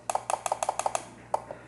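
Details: Relay under test: a run of sharp double clicks, about six pairs a second, then one stray click. Its coil reads far lower resistance than good relays, which overloads and burns out the driving transistor; the relay is faulty.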